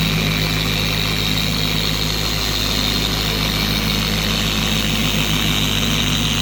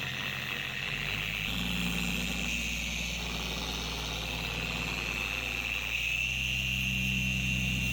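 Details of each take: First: 4-year-old Carbon Collective DA polisher after gear head grease replaced with red lithium, fixing vibration, wobble and high-rpm screaming: steady even high-speed whirr, no scream or wobble, smooth motor and pad hum; normal running. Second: Four-year-old Carbon Collective DA polisher with increasing vibration and pad walking: a steady high-pitched scream over the motor hum that rises with speed, from degraded gear head grease due to be replaced with red lithium.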